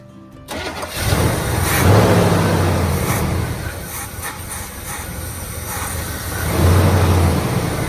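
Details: 1972 Chevy C10 402 big block, flood survivor unrun about 30 years, after carb inlet filter work; fires and revs, then speed sags and hunts instead of settling: won't hold idle, cause suspected, not confirmed.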